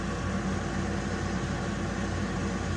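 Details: Weil-McLain HE boiler (integrated control 1013-200) running after ignition: steady rough loud whir with low vibrating hum, no cycling; technician says the draft inducer blower sounds tired, vibrating on possibly tired mounts.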